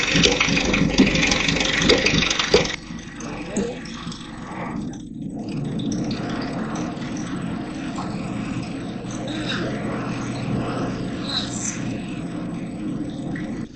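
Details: Farmall Cub rebuilt from parts tractors, first run with the mower engaged: loud start, then an even, settled engine run with a light rattle; sounds healthy.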